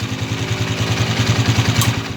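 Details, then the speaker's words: Honda TMX 155 single-cylinder motorcycle idling after a recent valve adjustment: light, uneven top-end ticking, sometimes noisy, sometimes not, from a worn rocker arm with excess play. "ah pabago bagong palo ng kanyang rck mga ka- motorworks at ah minsan mingay minsan hindi"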